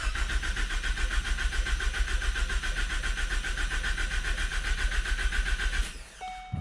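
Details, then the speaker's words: Ford Focus ST after K03 turbo replacement, cranking without starting to prime oil with fuse and coils off: fast steady cranking with a rhythmic clocking knock under the starter whir. The cause of the knock is unexplained. "was a clocking noise like like look look look look do you hear it"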